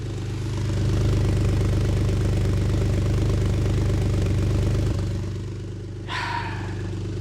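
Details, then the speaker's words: Ford Flex EcoBoost at idle with broken exhaust flex pipe: loud, deep idle with rapid regular puffing beat louder than a sealed exhaust; exhaust leak from the broken flex pipe. "as you can hear the flex is a little louder than what it normally is and that's because the other night it wanted to flex on a Ferrari by flexing its ecoboost engine and in that process of flexing on the Ferrari it broke its flex pipe"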